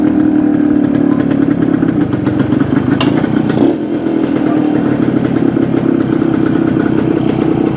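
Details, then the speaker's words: 1972 Suzuki TS250 two-stroke, with the 170 jet left in for a fuel delivery problem: crisp, even crackle at a steady fast idle with no stumbling or hesitation; sounds more responsive. "okay that's uh see what you do now that sounds more responsive"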